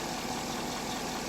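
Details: 2010 Chevy Silverado LS V8 after repair of a bad lifter that caused a cylinder 7 misfire: short, steady, even idle with no stumble or ticking. Scanner shows zero misfires and no check engine light.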